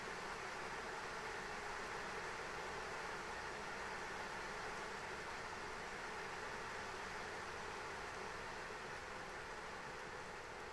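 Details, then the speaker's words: ASUS ROG Strix RTX 3090 on an XTIA open frame running the Time Spy benchmark, overclocked, at 77–79 °C and ~1950 MHz: steady loud airy rush with a faint ~600 Hz tone as fans ramp to 100%, masking the card's coil whine. "but the fans are so loud you can't even hear the coil one so you know yeah this thing's just ramping up to 100% fan speed man like this thing is just really just trying to move all the heat he can"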